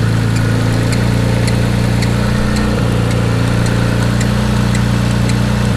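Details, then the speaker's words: Mitsubishi 3000GT VR4 with freshly rebuilt twin-turbo 6G72 (forged internals, stage 2 cams, 15G turbos), cold start after a week sitting: steady idle with a faint regular chirp about every half second from the belt drive; owner suspects water pump pulley, unconfirmed. "I really think that is my water pump pulley squeaking. I gotta get that fixed ASAP."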